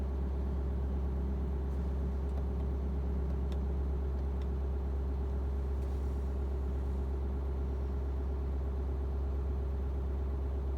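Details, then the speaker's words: 6.7 Powerstroke diesel truck self-raising idle to warm the catalyst, not a regen: steady even diesel drone at raised idle with a constant low cooling-fan roar during a short fan cycle, no knocks; normal. "Here comes the cooling fan again. It's probably going to cancel out pretty soon."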